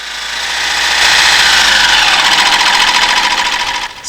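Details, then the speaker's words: Opel B16DTH engine (2015-2021): bright metallic rattle over the engine, louder as revs climb, caused by worn intermediate gear damper losing flexibility; found during timing chain noise teardown. "fur et à mesure que le régime augmente, le bruit s'amplifie Cela est dû à une diminution de la flexibilité de l'amortissement. et son usure"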